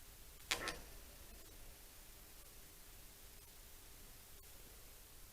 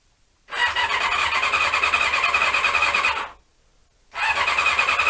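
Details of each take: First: Honda CB-1 (NC27) radiator cooling fan tested in situ after repair and refitting, ignition on, triggered by touching the radiator contact; click then steady even whoosh, no scraping: normal cooling fan operation, connections good. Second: Honda CB-1 (NC27) sat unused a couple of months, fed from a remote fuel tank: two bursts of fast, whirring starter cranking with no firing. Cranks but won't start; owner suspects the carbs need cleaning again.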